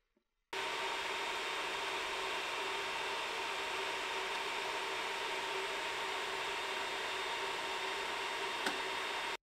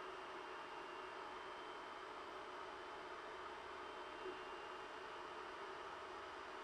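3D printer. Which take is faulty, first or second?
first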